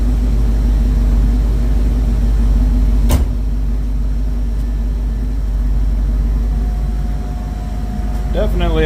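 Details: 1972 Ford Mach 1 V8 with stock cam, restored, about 200 km driven, coolant just topped up; even steady low burble at idle, no knocks or misses, picks up cleanly at end, runs nice.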